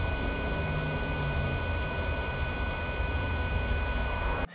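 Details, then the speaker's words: Renault Zoé 22kWh electric coolant pump heard at the wheel during a charging session: a faint, steady whistle and small turbine spinning over a low hum, normal operation; owner kept the pump since it works. "écoutez votre pompe à eau pendant les sessions de recharge écouter au niveau de la roue vous allez entendre un petit sifflement et une petite turbine qui tourne"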